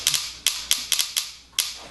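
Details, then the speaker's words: Invert Mini paintball marker after installing a Custom Products spring-return sling trigger: sharp snaps, some doubled pairs from the oversensitive trigger double bouncing; magnet was too far away and is being tightened, getting better, very light spring. "And you can hear it double bounces a little bit. It's getting better now."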